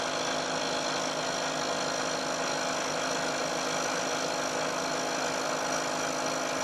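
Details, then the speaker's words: Milling machine cut on a long thin part sandwiched between two stiffening pieces in the vise: steady even hiss with no chatter, much quieter than the unsupported cut, better surface finish. "you'll hear that there's a very big difference and the noise produced especially as the cutter gets out towards the end of the part and also a closer inspection will show that there's a better surface finish as well"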